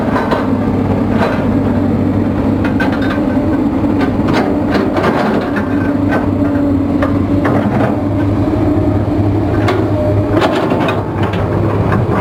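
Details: Komatsu diesel with low power, high vibration and white smoke: deep idle with sharp irregular knocks about every second; engine knocking, cause suspected not confirmed.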